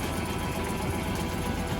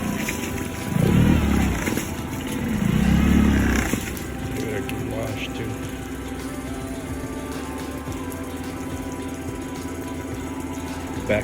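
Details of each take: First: Suzuki 9.9hp outboard idling roughly with an uneven, lumpy beat, shaking as if on one cylinder; misfire from spark plugs fouled by gunk after using Techron Marine fuel treatment, earlier also shaking at 3,000 RPM. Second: Suzuki 9.9 hp outboard idling smoothly with a steady, even hum and no missed beats after misfire fixed: Techron Marine stabilizer had fouled the spark plugs with gunk; now clean fresh fuel and clean spark plugs.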